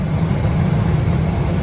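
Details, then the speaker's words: L.B. White farm heater after a switch and terminal repair, normal burner operation; steady, even low roar of fan and flame with no surging. Air proving switch checked, hot surface igniter lit, flame established. "We should see a flame here. There we go, we got a flame."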